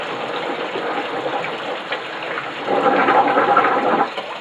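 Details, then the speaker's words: Homemade 12-foot glass-fibre Gato submarine built 20 years ago: steady rushing hiss of air with water gushing out, swelling midway then easing off; ballast tank blowing normally. "So, that's blown the tank."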